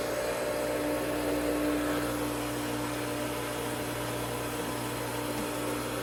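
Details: Hayward pool pump motor after reassembly (unbolted four bolts, wet end refilled with water) running normally: steady, even motor hum with a smooth rushing wash over it.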